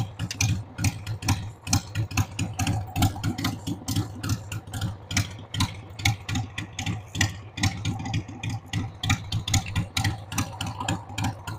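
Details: 1993 Harley-Davidson Sportster 883 Evo V-twin, sat about 15 years, started on starting fluid with a dead battery: lumpy, uneven idle with irregular loping beats around two per second; rough idle, owner says the carb needs cleaning.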